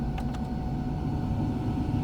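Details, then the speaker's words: Peugeot 306 GTi with ignition on: the blower fan runs at full power though the switch is at zero/off, a loud constant rushing roar with the AC compressor running underneath; fault not yet found. "fan sıfır pozisyonunda kapalı ama yine Tam güçte çalışıyor hiçbir şekilde gördüğünüz gibi bana izin vermiyor"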